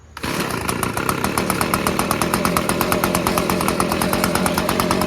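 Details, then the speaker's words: Echo PB250LN two-stroke handheld leaf blower after recoil starter replacement, first start: catches quickly, then a steady high buzzing run with even beat, revving up cleanly; no carburetor adjustment needed; normal running. "nice sounds good no adjustment needed on the air high low F machine CU you can rev it up high and you can hear the RPMs"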